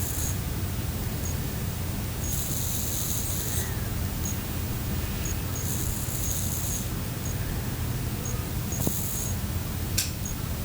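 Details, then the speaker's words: iPhone 7 in airplane mode held close: a faint steady hiss runs constantly, swelling into bright high-pitched bursts when running a benchmark or heavy app; electronic coil whine ('hissgate'). "então como vocês ouviram já existe um pequeno ruído que fica sendo emitido o tempo todo com a infância no bairro e quando a gente olha um jogo aplicativo pesado isso se intensifica"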